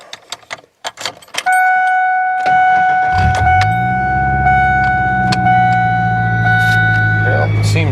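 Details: 1997 Ford Ranger after new starter installed for intermittent starting problems and clutch bled: chime and key rattle, short crank, quick catch, steady even idle; starts and runs fine.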